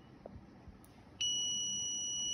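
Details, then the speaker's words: Multimeter that had no buzzer, fitted with an added piezo buzzer wired to the BUZ pad on the meter PCB: quiet, then a steady shrill beep holds in continuity mode; the continuity buzzer works. "now we will test this multimeter now it's working very perfectly now it's beeping"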